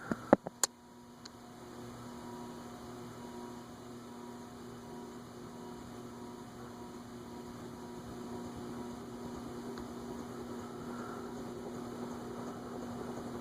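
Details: TAT/Wing Tat Mistral ceiling fan (cast-iron spinner motor, fluorescent-light ballast transformers) on the workbench after a fix: a soft, steady electrical hum with no knocking or ticking. The earlier noise is gone and the fan runs quiet and even.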